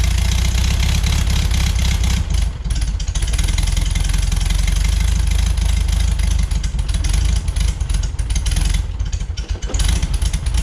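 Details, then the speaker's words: 1973 VW Beetle flat-four, new remanufactured Bosch 034 distributor, base timing about 7.5 degrees, revved to 3,500 rpm with 30 degrees centrifugal advance, vacuum unhooked: steady burble, clean pickup, holds revs without misfire or rattle; on spec. "Distributor's holding 30 degrees right at 3,500 RPM, all in on just a centrifugal advance. So that is perfect for spec."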